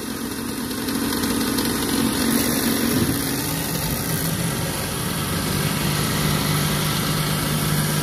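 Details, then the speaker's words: Trane 6-ton package unit during maintenance, inducer reassembled after pressure hose found detached; rough buzzing hum with wavering whine and vibration, ignition works; failing inducer motor needs replacement. "I got my inducer reassemble turn it back on I'm sure you can hear that it still sounds like garbage but at least we'll be able to see if everything else fires up"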